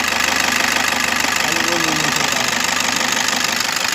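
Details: Toyota Innova V diesel, engine running: steady gritty hiss with a fast even rasp like a dry bearing spinning, attributed to the A/C compressor; bearing noise, cause suspected, not confirmed.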